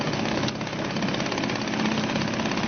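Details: Suzuki DT 2.2 hp outboard in test tank, started without priming, no choke: smooth steady even putter at tick-over; normal idle.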